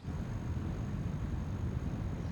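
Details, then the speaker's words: iStore hot water heat pump compressor running: steady, even low hum with faint high whistle, no knocks or rattles; normal but sounds a little louder than the Reclaim unit. "to my rave-ravaged ears, it does sound a little bit louder."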